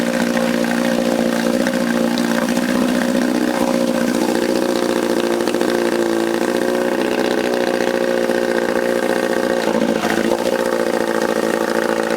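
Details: Johnson 4 HP outboard after rebuild, first run with a see-through fuel line, in neutral: steady fast idle with an even buzzing note and no knocks or misses; normal running.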